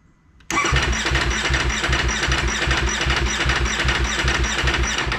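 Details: 2019 Ducati Panigale V4 S cold start after about a week sitting: starter grinds steadily with rhythmic low pulses for about five seconds, then stops without catching; intermittent cold hard-start, cause never found, avoided by keeping battery charger connected.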